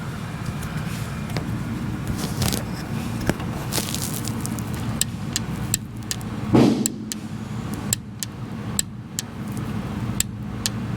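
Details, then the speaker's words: 1988 Mazda RX7 rotary that won't start: one injector energized by hand with the microphone beside it gives sharp, irregular clicks, showing the pintle moves, though not proving it injects. "Anyway, I don't know if you heard that or not, but it is definitely clicking. So that what you know tells me that so that tells me that the thing is actually you know the pintle is moving."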